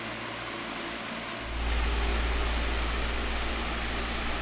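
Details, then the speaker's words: 2002 Midea 16" oscillating pedestal fan with mesh grilles, before cleaning and restoration: a low motor hum rising as it steps up to full speed, with a steady airy rush through the mesh grille. Normal high-speed running with typical mesh-grille air noise. "it does have that mesh Grille fan sound which is actually pretty nostalgic"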